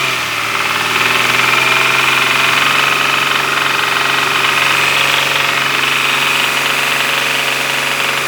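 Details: Running engine with a sharp, rapid knock of about four beats a second throughout; engine knock, cause not pinned down.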